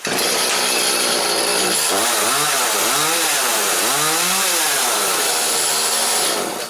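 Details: Echo CS310 chainsaw, warmed up a little after its primer bulb (purge pump) was replaced. It revs cleanly up and down several times with a crisp, even buzz and no stumble, and runs healthy.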